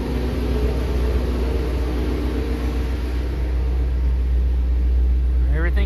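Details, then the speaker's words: 2019 Shelby GT350 (3,800 miles) after install of a Whipple 3.0 supercharger, long-tube catless headers, twin-disc clutch and Lund tune. Light throttle, no boost: loud, deep V8 rumble, even firing, no knocks or ticks, healthy. "let's take a listen to this thing I ain't gonna do nothing too crazy because they said don't get on it too much don't get into any boost and all that stuff I just want to hear it"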